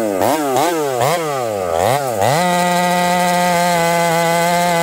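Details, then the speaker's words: Ported Husqvarna 371 XP chainsaw with new coil, carb set about three-quarter turn after too rich: surges up and down about twice a second while cutting, then steady high scream; breaking up under load, carburetor suspected. "I think we got a carburetor issue you guys hear that see how it's kind of breaking up acting strange so we'll have to dig into this carburetor further"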